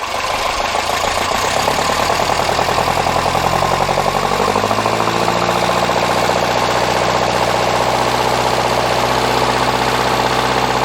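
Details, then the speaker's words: Restored 1961 Triumph TR4 with about 15,000 miles since restoration, idling during a radiator flush; steady, even idle with a smooth fast beat and no knocks or misses, running pretty clean. Normal idle. "it seems to be running pretty clean now"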